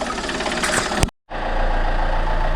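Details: Alfa Romeo 159 1.9 JTDM diesel after fitting a new exchange turbo, intake pipe not yet fitted so not revved; steady low idle with light even clatter, no knock or whistle, judged pretty healthy.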